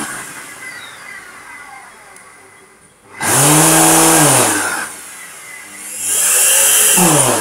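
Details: Vacuum cleaner motor spins up into a deep rough engine-like roar, pitch sagging and climbing between bursts, rotational vibration; owner suspects the ball bearing in the rotating ring is stuck or has too much friction, maybe from dust. Unconfirmed.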